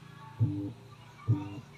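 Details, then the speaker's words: Daewoo top-loading single-tub automatic washing machine, empty: two short bursts of low electrical hum, motor buzzes but cannot spin; it turns only when helped by hand. "this washing machine in case it can't rotate it just buzzes so if we turn it on even without load the center just buzzes and can't spin"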